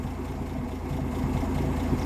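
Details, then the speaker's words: 1958 AMC Rambler Super with Weber carburettor, idle around 1800 rpm being turned down at the screw: low, lumpy idle that wavers and bounces more the lower it is set. Unsteady idle from idle speed set too low. "i'm gonna turn the screw out a little bit try and lower down the idle a little hmm yeah now it's kind of bouncing around a little"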